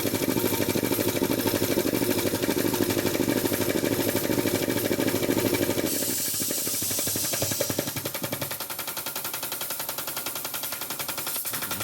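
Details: Jenny K-style pump 2 hp air compressor: builds pressure normally to about 50 psi, then rapid machine-gun chatter as debris clogging the pilot valve keeps the head from unloading; short cycling, valve keeps cycling after shutdown.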